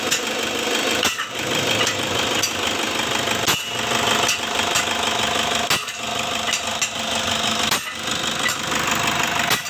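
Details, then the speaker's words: Toyota Fortuner diesel with weak pull and black smoke, dirty exhaust, before throttle body and injector cleaning: even idle with steady crisp clatter, no stumble, misfire or knock; engine sound judged very smooth. "Oke ini untuk mesinnya ya untuk suara mesinnya menurut papi nih sangat halus"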